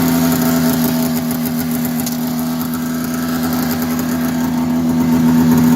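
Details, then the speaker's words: 1990 Polaris Indy 500 two-stroke snowmobile, sat outside since 2005, carbs cleaned, new plugs and gas, belt removed: runs steadily, starts right up, raspy buzzy edge on every firing pulse from an exhaust leak. "all right so as you can see it's running pretty good now aside from that the exhaust leak that's got to get sorted out but it starts right up which is great"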